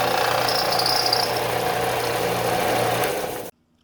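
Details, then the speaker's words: 13-year-old Harbor Freight belt sander after tightening the top and bottom pulley set screws: steady motor hum and belt whir running smoothly, then it cuts off; earlier bad noise fixed. "Now everything's working okay."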